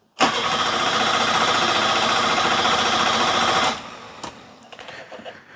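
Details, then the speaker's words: Car usually reluctant to start first time: starter churns about four turns a second for three and a half seconds without catching; fuel pump can't be heard, suspected dead. "Hope we haven't killed the fuel pump. It is true. I cannot hear the fuel pump at all."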